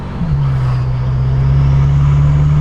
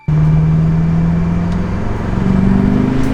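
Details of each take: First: BMW F10 M5 (S63) after flashing the tune back to stock (stage 0), stock intakes refitted: deep, steady exhaust drone under throttle with no surging; smooth power delivery, no torque limiter throttle closure. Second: Tuned BMW F10 M5 (S63) at wide open throttle: hard pull with climbing note, then brief dip and uneven surge as the torque limiter closes the throttle; inconsistent throttle and boost persisted after swapping MAF sensors.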